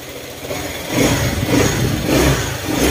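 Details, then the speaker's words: Honda ADV150 at idle after camshaft replacement and re-checked valve clearance, previously clattering: even, quiet idle with a soft steady pulse and gentle swells, no tapping or rattle from the top end; quiet, at standard. "tahimik na siya talagang yan na talaga yung standard niya"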